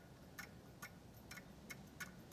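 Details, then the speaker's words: Hand-spun turbo from an Audi RS3 engine, off the car: light metallic ticks as the shaft catches the top of the housing. About 1 mm gap at the bottom, none at top; worn bearing play, needs repair. "you can hear that noise and that noise is the turbine shaft catching on the top of the housing just up here"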